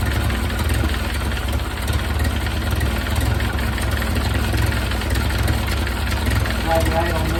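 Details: 1931 Ford Model A four-cylinder, long stored, after more ignition advance and idle turned down, exhaust hot: idles low and fairly steady with a loud rough exhaust note; running a little better, carburetor jets not yet checked.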